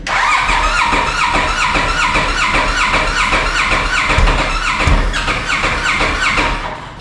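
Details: Polaris RZR engine just replaced under Rev6 warranty, first start with coolant system pressurized to 5 psi and battery a little low, to be held at 1500 RPM for break-in: cranks, catches quickly, settles to a steady even idle with a light blip; runs fine.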